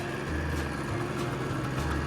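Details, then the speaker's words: Suzuki GT380 three-cylinder two-stroke, previously not running on cylinder 2, after carburetor repair, warmed up: even steady low burble, all three cylinders firing, no misses; normal idle. "There we go, she's all running. So with the carburetor running on all 3 cylinders. I have already ran it and warmed it up."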